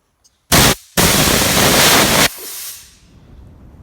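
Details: Garage air compressor line with new aftercooler for drier air: two sharp hissing bursts then a long steady rush tapering off from the hose reel line; clean strong normal blow-off.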